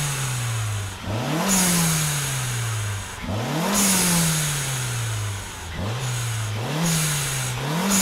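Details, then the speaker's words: Budget turbocharged Mazda Miata with its eBay HKS-knockoff blow-off valve removed, free revs: revs climb and drop repeatedly, each lift-off followed by a sharp hissing whoosh; healthy engine. "man i love how that sounds"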